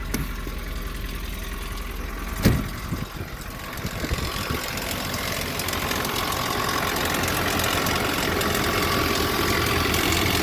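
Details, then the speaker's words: Nissan pickup with a blown head gasket, started after sitting snow-packed in a blizzard: engine catches and idles with a dense, fast metallic chatter; timing chain rattle that began when the head gasket blew. "yeah all that started making noise at the same time as the head gasket blown so"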